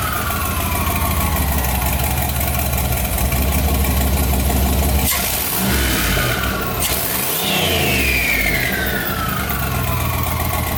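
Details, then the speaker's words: Budget turbo LS V8 Escalade, first start after hot-side install: loud rumbling V8 revs while a high whistle climbs and falls with the revs; turbo whistle of unknown cause, some smoke noted. "That's got quite the whistle, but what is all that? We don't got to worry about what the whistle is."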